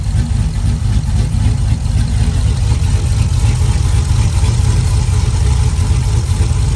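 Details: Cammed V8 (HPT cam) just fitted with BES Racing heads milled 0.020 in, headers, intake not yet on; deep steady lopey even idle, no ticks or knocks; normal idle.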